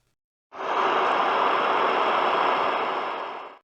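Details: Trash-picked DeWALT DC011 worksite radio with normal volume: only an even rushing interstation hiss for three seconds with no AM or FM station coming through; no reception.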